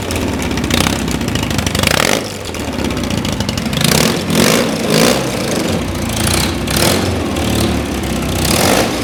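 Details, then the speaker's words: Custom BMW R80 airhead boxer twin, rebuilt after being found in a hedge, barks into life on start and blips a few times. It then lopes at a lumpy but steady idle and runs fine. "Right, well, I best prove that it runs, so let's start it up. It's got the M-lock just under the seat there. So she's on, and let's make a racket."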